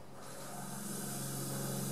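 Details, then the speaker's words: Mercedes Sprinter T1N diesel, engine off, intake system pressurised with shop air at about 20 psi. A steady sharp hiss is heard from a cracked turbo/intercooler hose leaking. The leak had caused limp-home mode, capping speed at 62 mph. "there you can hear the air leaking yeah it's coming from around this area"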